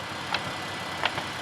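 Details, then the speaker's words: 2018 Infiniti Q60S V6, the same engine as the Nissan 400Z, at idle; a smooth hiss with faint sharp ticks, which are normal timing chain and/or direct injector noise, loud on these engines; nothing wrong. "the ticking noise that you hear that's generally the timing chains and or the direct injectors because they are pretty loud on these engines"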